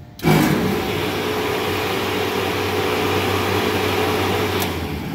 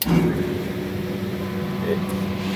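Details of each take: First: Refrigeration condenser fan motor running with a steady hum and a slightly rough, gritty whir from dry bearings. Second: Refrigeration condenser fan motor, 460 V, full load amps checked, running steady low even hum with no rattle or grind: the quiet, healthy motor among noisier dry-bearing ones.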